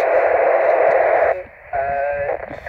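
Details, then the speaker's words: Leixen VV-898 handheld on 2 m FM, portable on a homebrew dipole, tuned to GB3IR and other channels: loud rasping hiss and warbling data tones swamp the speaker, from pager interference/intermodulation. "that's noisy if you listen to that noise you'll hear that it's actually pages is no good"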